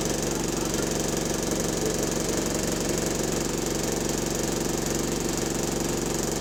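Steady diesel idle with a regular deep knock about three times a second riding over the engine note; rod knock.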